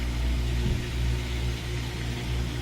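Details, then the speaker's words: LG washing machine with OE won't-drain error after drain pump replacement, tested on drain and spin: low steady hum and rumble as the pump drains and drum turns evenly, no grinding or rattle; normal drain and spin. "so it's a drain and spin sounds good we just gotta look for it any leak make sure you know there's nothing leaking out"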